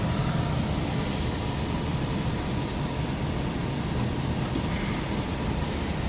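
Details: Rheem 90% gas furnace with code 57 (high pressure switch open), running with the switch jumpered out: a steady, even low roar with the burner lit and inducer smooth; inducer pressure exceeds the 0.55 rating, so the switch is bad.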